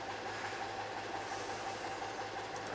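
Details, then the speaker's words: Ural boxer motorcycle on a road trip: light regular tick about three per second over steady idle, louder at mid revs and audible at idle; owner suspects the generator. Engine ticking knock at idle, cause unknown. "появился более громкий уже звук где-то на средних оборотах и даже на холостых его слышно с чем это связать вот не знаю решительно может все-таки генератор"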